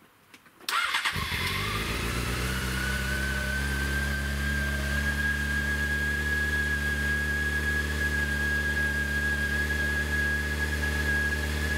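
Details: Honda CBR after fuel pump replacement, hot day: catches instantly, settles into a smooth even idle with a faint steady whine; normal start and idle.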